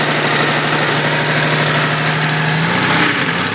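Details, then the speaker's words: Jeep Cherokee 4.0L at idle, heard through a listening tube at the back of the engine: fast light tick keeping pace with engine speed; cheap OBX header manifold gasket blown apart, exhaust leak, fixed with Felpro gasket. "Got a lovely tick coming from the back side of the motor. You're listening to it through that tube, it even sounds like it's down deep."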